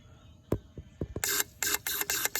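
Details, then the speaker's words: 6.1 Hemi fuel injector, clogged by old gas turned to gum after 10 years unused, bench-tested on a pressurized fuel rail after tapping and flushing; sharp clicks then even hissing spray bursts about four per second, normal spray. "you can see the little holes shooting so just make sure they're all the same number of holes on all of them"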